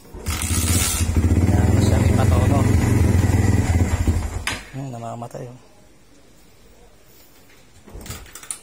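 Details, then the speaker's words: Motorcycle with new Motaro tri-electrode spark plug runs a few seconds at rough idle then cuts out; still stalling and hard starting, so spark plug isn't the cause; owner suspects carburetor or electrical. "Hindi sa spark lang ang problema nito na siya na naman natin. sa electric namamatay talaga siya ah ayun nga guys ah kinabit natin yung motaro na spark plug pero ganun pa rin hard starting pa rin siya"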